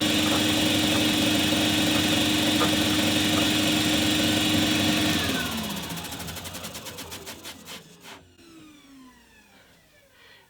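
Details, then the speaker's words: DIY drum (thickness) sander, drum raised: steady motor hum with a regular thump about four times a second as a raised high spot touches; uneven drum, needs sanding down. "it's noticeable that as I raise it I'm getting this vibration but as you can hear the the drum is connecting in place in places so it's not that it's vibrating it's the fact the drums uneven"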